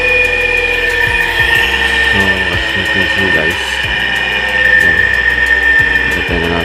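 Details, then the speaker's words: Hard-starting electric motor after repair (new capacitor fitted): comes up to speed on its own and holds a steady hum with a faint whine. Starts and runs normally. "Okay, ayun may capacitor na. Teka natin. Automatic na siya. Maandar na siya ng busa."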